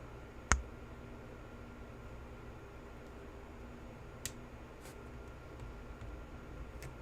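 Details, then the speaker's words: Apple HomePod A1639 woofer disconnected and reconnected with amplifier powered: sharp thump-pop then smaller click, woofer visibly moving, from amplifier DC offset approaching 800 mV, which grows under use and causes the "death fart" failure. "if we come here and we disconnect and reconnect the wafer we can not only not only hear the popping but we can see the the woofer move too"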